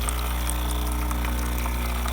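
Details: Breville espresso machine after diagnosis and repair of no water flow from the group head: steady pump hum with even, unbroken water flow; full flow restored, normal.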